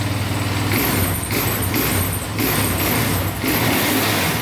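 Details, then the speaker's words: Sport quad, first start-up on choke then warming: picks up cleanly on each throttle blip and settles without stumbling or valve tick; normal throttle response. "Sounds really good. Give you a couple throttle blips."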